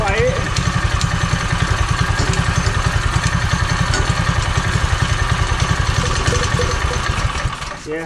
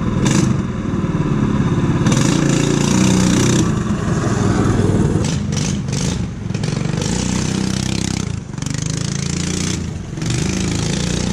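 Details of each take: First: Power Wheels ride-on small single-cylinder engine with new carburetor, after straight exhaust and muffler fitted at back: steady, even, muted idle, much quieter, running normally. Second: Power Wheels ride-on with small engine and new carburetor, running with no muffler fitted: harsh, blatty bark swelling with each rev, super loud, before muffler added.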